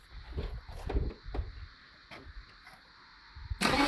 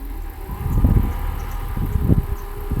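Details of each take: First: Mercedes W126 300SE, M103 inline-six, Voltarent conversion: fuel rail pressurized, then the ECU is prompted to start. Two cranking bursts catch a few uneven firings that die away; the engine cranks but won't start. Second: Mercedes W126 300SE with M103 six-cylinder, converted to an aftermarket ECU (rail pressurized first, then start prompted from the ECU): engine fires and settles into a low, even rumble with no misses or knocks, a normal start and idle.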